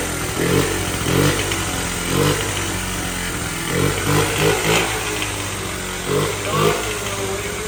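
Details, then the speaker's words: 1979 Honda Z50R chopper mini bike found stored among snowmobiles; the small single revs unevenly with irregular sharp pops about every half second. They suspect it is popping out the intake, possibly lean; valve adjustment also considered. "I don't sound so good to me these are bad for uh yeah I'm wondering if it's coming out a uh intake that popping together"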